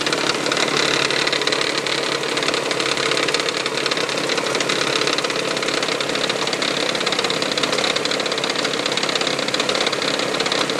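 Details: 1999 Toyota Sienna engine at start-up idle: fast sharp metallic tapping, like something hitting the valve cover; began after six NGK iridium plugs and oil change, also heard around 2300 rpm driving; cause unknown.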